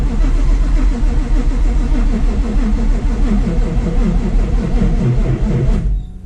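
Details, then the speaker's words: Supercharged cammed Coyote Fox Body: rapid even cranking for about six seconds, engine never catches; owner suspects odd ignition timing or too little fuel, unconfirmed no-start. "I think uh the timing maybe ignition timing is weird I don't know but it also seems like it needs more fuel cuz I should be like burning my eyes out"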